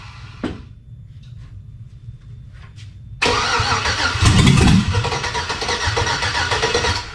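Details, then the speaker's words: Chevy V8 swapped into a Jeep Comanche, hot-wired starter and fuel pump, spark and fuel pressure confirmed, runs only on starter fluid; starter churns, ragged firing that barely catches and won't keep running, cause unknown; crank, no start. "so we're trying to crank it over and it's just barely firing off and then it just won't do anything more"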